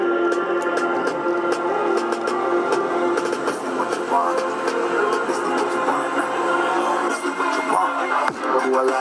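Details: JBL Charge 2 speaker after BMS repair, battery partly run down then recharged and charging again: music plays full and clean at steady volume with no crackle, dropouts or distortion; speaker working normally.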